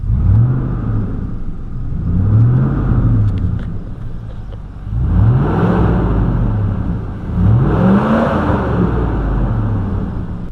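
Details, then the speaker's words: 2004 Silverado 5.3L V8 with Flowmaster exhaust at idle, then revved: a loud whooshing roar swelling and fading in slow waves that drowns out the exhaust; failed fan clutch, fixed by a new GM ACDelco fan clutch. "so this is the problem I have with the fan so brought a nice steady idle now but if I was to rub it right now now you hear more fan than you hear flowmaster you know what I mean"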